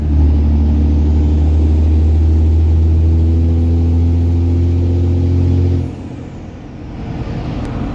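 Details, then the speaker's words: Hotshot diesel truck held up in revs then settling: deep, loud, steady intake roar, normal for its intake, though quieter than the previous snorkel. "I can definitely hear it it makes loud noises and uh yeah it's pretty loud I mean it's not like hateful like that snorkel that I did but it's pretty decently loud"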